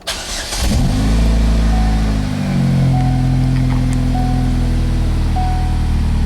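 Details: 2007 Saturn Sky 2.4L, started after a thermostat replacement and coolant bleed with compressed air and the fault code cleared, cranks, catches quickly, then rises smoothly and evenly to around 2000 rpm; a healthy start and rev.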